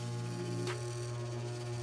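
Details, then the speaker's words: Home A/C blower motor with squirrel cage removed, wired in for testing; steady motor hum with brief rattling bursts. It is surface rattling of the housing, and the motor itself sounds good. "that's the whole thing's rattling it actually sounds good see look that's a good motor so like i said it's just surface rattling that's a good motor"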